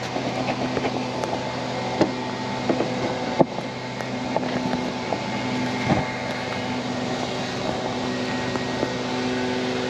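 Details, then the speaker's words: 1979 Malibu LS swap, newly installed electric cooling fans triggered via jumper-wired ECU ground and ignition power: steady even whirring hum with a couple of clicks as fans switch on; both running normally. "you can hear the fans cut on so let see real quick see if I can get y set up real [Music]"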